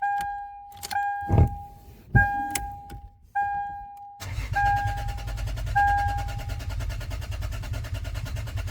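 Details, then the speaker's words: 2005 Lexus IS300 with new ECU and key, immobilizer disabled, new spark plugs: steady starter cranking that never fires; crank no start, owner hears compression but suspects no fuel, maybe no spark; coil packs and wires not replaced. "Sounds like it's getting compression to me, but it doesn't sound like it's getting fuel, maybe not spark."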